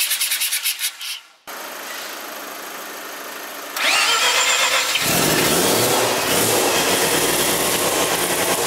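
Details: Mazda FC RX-7 13B rotary, first start after weeks of work with the MAP sensor hose reconnected to the manifold; starter whirr, then a loud, steady, buzzy rotary idle that holds evenly; normal.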